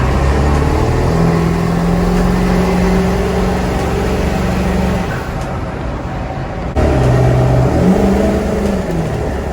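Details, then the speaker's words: 7.3 Powerstroke diesel truck with a 5-inch straight pipe and a 5x7 AFE exhaust tip: loud, deep, steady drone with little whistle; the tip greatly reduces, but does not eliminate, the turbo whistle, which is loudest at low RPM without it. "Exhaust tip to your straight pipe, it's actually going to eliminate your turbo whistle a lot. Maybe not completely."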